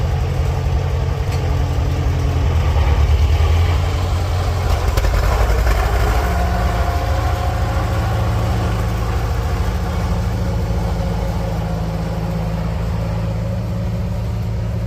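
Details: 1946 International Harvester Farmall H four-cylinder, in neutral after a pushrod replacement and deep cleaning, with a low battery: even, unhurried low thrum holding a constant pace with no stumbles or knocks; normal, healthy idle.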